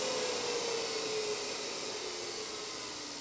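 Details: NetGain Warp9 series DC motor, serial 30, run unloaded on older Curtis 1221C-7401 120 V 400 A controller: steady hiss with thin whine dropping in pitch as motor spins down; runs smoothly.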